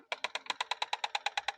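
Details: 2012 Citroën C4 (B7) power-folding mirror folding as the car locks: rapid dry chirp-click about eight per second, caused by a rusted spring rubbing the plastic fold housing; fixed by disassembling the mirror; power folding mirror squeak.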